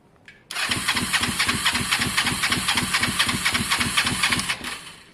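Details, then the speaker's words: Kawasaki ER5, air filter refitted: steady starter churning about four strokes a second with no catch or firing; both plugs later show strong spark, owner suspects carburettor fuelling problem. Crank no start. "something's changed guys um something's changed you can hear it's just not happy"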